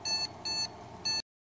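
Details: ASUS Sabertooth Z77 motherboard with no RAM sticks or graphics card installed: clear high beeps in a quiet room, the one-long, two-short no-memory-detected POST code, a baseline test.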